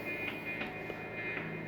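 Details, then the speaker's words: Chinese-made Hofner violin hollow body electric guitar through an amp, not being played: constant buzzy hum with a high whistle, present even when holding the strings; interference from an unshielded cavity, shielding expected to fix it. "there's so much of that noise even when you're holding on it's still just it's just noisy that that'll go away with shielding"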